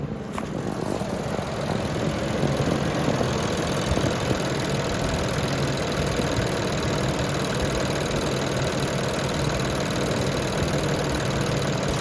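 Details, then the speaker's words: 2020 Nissan Pathfinder SL, 121,948 miles, dealer found engine sludge and advised replacement engine: steady idle with faint quick ticking from the timing chain, heard clearly after adding Sea Foam following an engine flush; rattle was louder before the additive. "Here the mic is really picking up on the timing chain. I can hear it pretty clear right now."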